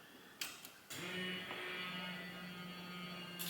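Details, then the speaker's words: Restored Mustang, fuel pump plugged in and run to check for leaks after long rebuild: click then steady low electric hum for about two and a half seconds, the regulator diaphragm audibly building pressure; normal fuel pump priming. "oh you can hear the diaphragm in the regulator you can hear it there it's getting pressure"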